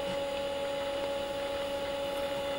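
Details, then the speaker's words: 1992-era hard drive in Commodore Amiga A4000/040 during annual test run spins up with a steady, even whine, no scraping or irregular clicking; old drive healthy as it boots. "so this time around I don't expect it to be any different there we go all started up"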